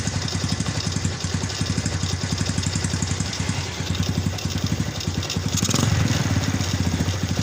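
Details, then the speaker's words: Yamaha Vega small single running with a loud, rapid klatak-klotok clatter over the idle beat; the clutch slips on climbs and the bike jerks; rough and noisy, cause not yet found. "jadi motor ini suaranya Klatak Klotok Klatak Klotok bisalah suka ngeplos selip ditanjakan juga suka loncat-loncat"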